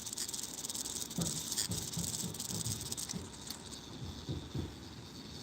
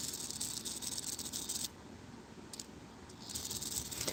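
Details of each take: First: Clock movement just after oiling: light, quick, even ticking with no scraping or grating, running freely and sounding much better than before. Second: Clock movement before oiling: light, uneven metallic rattling tick several times a second in a quiet room, a dry pivot making noise; a drop of oil there made it sound much better.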